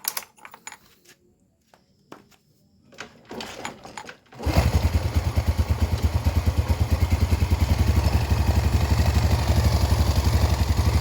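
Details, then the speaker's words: Yamaha Vega R four-stroke single, repaired after failing to start from lost compression (valves lapped, ring area cleaned), exhaust refitted: after some clatter it fires and settles into an even single-cylinder beat that picks up smoothly; runs healthy. "Oke Kang Bro, ini untuk Vega sudah selesai Kang Bro ya, dan sudah mau hidup."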